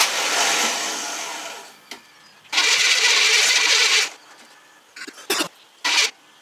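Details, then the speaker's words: GM mud truck with a new wiring harness and an 87 GM electric fuel pump and sender modified to fit the 89 harness: bursts of loud cranking hiss that never catch. It cranks repeatedly but won't start, with no fuel reaching up top. "okay can you crank again okay still not getting any fuel up here in ruin"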